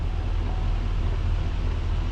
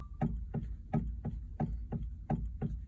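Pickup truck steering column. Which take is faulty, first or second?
second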